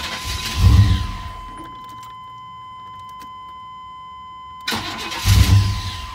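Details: 1999 Chevrolet Tahoe 5.7 4x4 that would not start, after cleaning heavy corrosion from fuse 21 and its terminals in the driver-side cab fuse box. Two short starter bursts each catch and settle, with a chime ringing over it. It now starts normally.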